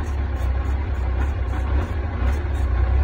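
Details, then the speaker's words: 2007 Yamaha FJR1300, partly warmed up, at high idle after replacing the small coolant hoses to the cold high-idle wax valve: low, lumpy, uneven idle with faint ticking, running lean; won't start without starting fluid, no codes or vacuum leaks, owner suspects injectors. "so this idle's really lousy even if i put pull uh it's warmed up a little bit because i've run it some even at high idle if it were cold it's like it's running lean"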